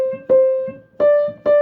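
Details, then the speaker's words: Fisher apartment grand piano (about 4'5"–4'7"), one note around C4 struck hard three times, rings bright, clangy and edgy against its neighbours; smaller-type hammer felt sounds super compressed and hard, needing voicing. "so that's more compressed it sounds like and that sounds super compressed"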